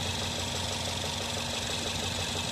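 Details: Nissan Tiida at idle: uneven, stumbling beat with a slight tick instead of a smooth hum; misfire, suspected spark plug problem.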